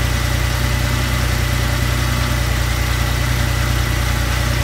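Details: First start after repairing the #2 rocker shaft, which had walked out two days earlier: engine settles into a steady, even idle with a smooth low hum and no ticking or knocking; runs healthy.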